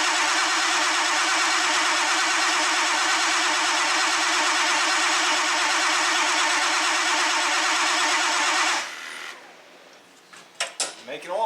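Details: Old tow truck (16 quarts oil, oil pressure showing on gauge, halfway on dipstick): steady, even starter churning for about nine seconds, engine never catches or fires, then cranking stops. Cranks but won't start.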